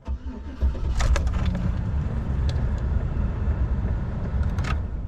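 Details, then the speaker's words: 2005 Chevrolet Silverado 1500 5.3L V8, a month after oil pump replacement, somewhat warm: brief crank, catches within a second, smooth even idle with no knocks or rattles, oil pressure about 52 psi; healthy warm start. "So I got the car somewhat warm, so it's firing up to about 52 psi, which is fantastic."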